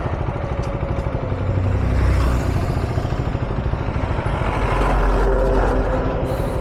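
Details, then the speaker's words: Motorcycle whose engine cut out at about 75–90 km/h in 4th gear, restarted, ridden slowly: rough lumpy low thrum with uneven clatter; abnormal engine noise, rider wonders if it's burning oil, plans to add oil; cause unclear. "ಏನಾಯ್ತು ಗುರು ಗಾಡಿ, ಏನೋ sound ಬರ್ತೈತೆ."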